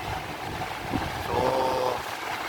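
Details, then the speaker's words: Industrial fan converted from 3-speed to 6-speed, running on its top (number three) setting: loud steady rush of air with even motor hum and faint tonal whirr; normal operation at top speed, noisy because it's industrial. "Grabe ang ingay niya at Napakalakas ng Bugal ng hangin kasi nga industrial pa"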